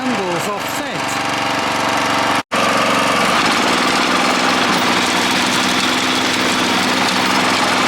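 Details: Honda F810 rotavator with tiller box, bought as a non-runner after two to three years standing in a field and revived: loud, steady, even chugging holding pace as tines work the soil; engine pulls cleanly under load.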